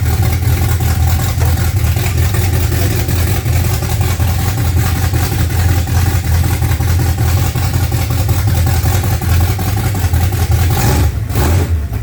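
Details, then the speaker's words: Freshly built 355 small-block Chevy V8 (double-hump heads) in a '55 Chevy on first fire-up: deep, steady, lumpy low rumble through loose mufflers, firing evenly with no knocks or misses; normal idle. "We did get it running, so that's a huge plus. Makes us feel a lot better, and we'll probably get on it a lot more now to get it finished."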